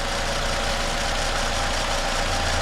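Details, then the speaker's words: 2010 Toyota Camry at idle after replacing the noisy alternator; even, steady hum with no knocks, ticks or squeal, sounds good — normal idle. "I would say that's a win sounds good yeah no complaints here"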